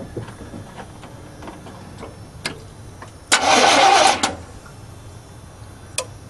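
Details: Chevy truck with a gasoline 350 V8 mistakenly filled with diesel; the fuel line is bled at the throttle body feed while cranking. About a second of cranking with clicks, no start.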